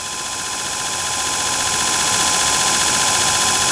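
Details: Antique Allis-Chalmers 10 HP electric motor, first start on 110 V with capacitor bank after machined shaft and new bushings fixed a rubbing rotor: steady hum, smooth high whir, no knocks or rubbing; normal running.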